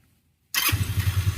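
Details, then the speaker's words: Rusi Flair scooter whose CVT drive face was rubbing the fan, unfixed after two prior repairs, now repaired with an added screw, on center stand; engine fires and settles into an even idle putt with no rubbing knock from the belt case. "Ayun tahimik na. Wala na pati ito."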